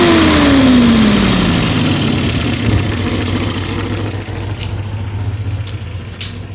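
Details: 1970 Opel GT, engine installed 2000 with 2700 miles, recently new 7-blade fan, aluminium radiator, rebuilt 28 A alternator, upgraded water pump; revs rise and fall with roar at 2500–3000 rpm, thin screech from 3500 rpm; cause unknown.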